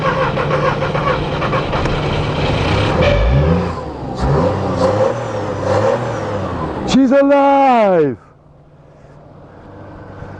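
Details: 2002 VW Polo 1.2 three-cylinder AZQ petrol, previously a non-start, after fitting three new coils; engine catches and runs with steady note, revs briefly, then winds down; normal start.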